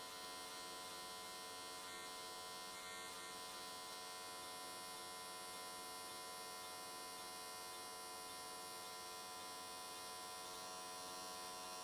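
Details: AC TIG welding an S13 catch can, likely aluminium, at 95 Hz square wave. Quiet, even electrical buzz holding steady with no crackle or sputter. Normal, healthy, stable arc, judged a good choice that carried the weld all the way around in one session.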